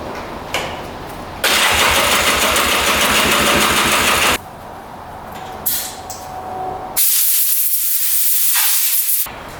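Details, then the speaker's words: 2002 Polaris Scrambler 400 4x4 ATV with about 110 psi compression, new spark plug fitted; catches and runs a few seconds with a fast even putter, then cuts out to hiss and silence; owner suspects flooding wetting the plug. "all right so we put a new plug in and it fired up instantly and then died again almost like it's flooding out"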